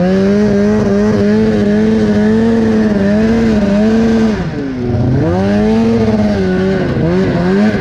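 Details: Polaris two-stroke snowmobile just repaired, riding deep fresh snow, recorded on GoPro: buzzy high note sags and drags back up under load, down on power; bogging.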